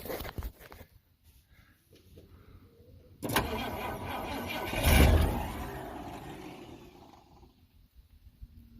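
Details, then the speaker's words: 1971 Ford F100 V8 on a small battery. The starter drags the engine over sluggishly in a short labouring burst that fades without catching. Slow cranking; owner suspects the tiny battery. "Didn't sound too good. Okay, could, then again, it could literally just be this battery. Because, I mean, look how tiny it is."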